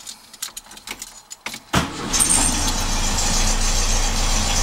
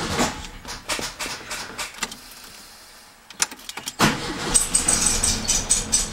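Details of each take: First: 1967 Beetle after a pinched starter signal wire was repaired with a new connector and heat shrink: a few clicks and rattles, then the engine catches at once and settles into a steady, even idle. It starts and runs normally. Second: 1967 Beetle that wouldn't start, cranked through a temporary wire run from the ignition switch to the starter: it catches into a slow, lopsided chuff about twice a second, running on one cylinder. The owner concludes there is a break in the starter signal wire.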